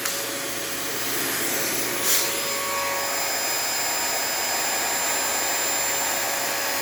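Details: Dyson AirMuscle DC28 Animal: loud steady roar with rough edge, long wind-down with brr-like clicking; unclear whether motor or cleaner head, owner suspects the cleaner head.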